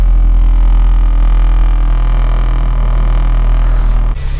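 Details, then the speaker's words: Modified Honda Fit GE8, five-speed, with solid engine mounts, at idle: deep, heavy throbbing drone, mounts passing strong engine vibration into the cabin. "Can you hear that vibration? Solid engine mounts. Oh my god. That's a lot of vibration."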